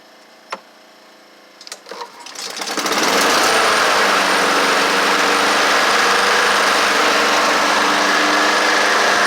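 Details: Honda HRR216 lawnmower started after a basic tune-up using Hipa parts: a couple of pulls, then it catches and settles into a steady, even single-cylinder buzz with no misses. Runs healthy.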